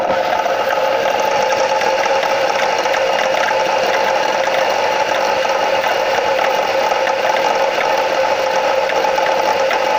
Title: Стук в двигателе